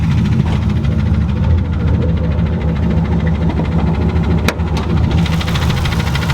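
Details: Turbo Ford Mustang Bullitt after hard pulls all night: lumpy loud V8 idle with dull knocking under the rough burble; rod knock, engine declared done and to be rebuilt.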